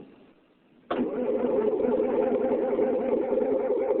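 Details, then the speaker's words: 1972 John Deere 4230 tractor with almost 7,200 hours, cold start recorded at the exhaust pipe: fires instantly and settles into a steady, even diesel clatter with no stumbling or misfire; normal, healthy cold start. "wow that was a great cold start guys but yeah that was amazing"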